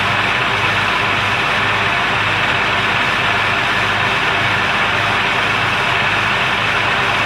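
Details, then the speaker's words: 2002 Jeep Grand Cherokee Laredo idling after replacing the PCV valve, a vacuum hose and brakes: even hiss and hum, the earlier clicking gone, no ticking; normal idle. "i don't hear the clay clint like it was before [Music] i still hear sounds"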